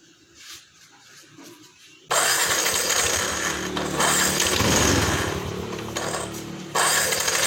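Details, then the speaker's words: Yamaha NMAX 155 (old model), code 61 ISC system, idle control reading 37% engine off: starter cranks steadily for seconds but engine never catches; suspected an uninstalled spring or dirty throttle body clogging passages. "Ini masih mati-matian saya tahan tidak ada nyala ya Ini kemungkinan dari per yang tidak tidak terpasang dan bisa juga dari eh total body yang kotor"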